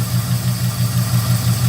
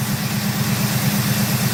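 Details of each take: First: 1971 Oldsmobile 98 idling just after restarting with a new HEI module. A steady low idle carries a quick even tap about six a second. Owner suspects lifter tick, possibly driver's side or front near cylinder 2. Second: 1971 Oldsmobile 98, 455 engine, warm at about 183° behind thermostat: steady, even low rumble at idle with regular lope, then shuts off cleanly with no dieseling run-on; healthy.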